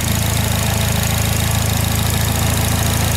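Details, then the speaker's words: Fire engine at idle: a fast, even, light ticking over a steady idle that follows engine speed and is louder around 2000 rpm; a hydraulic lifter tick said to be unfixable. "and you can hear it a lot more once you're going about 2000ish RPM he's like no don't worry about that was nothing we can do about it cuz it's all hydraulic hydraulic lifters in it"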